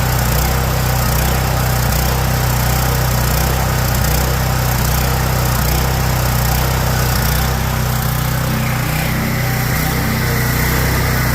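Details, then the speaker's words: Generator with Kohler engine, baseline before repair, surging power: idle hunts up and down about once a second, never settling; surging at idle. "all right well we managed to go and figure out his concern point of it is surging at idle"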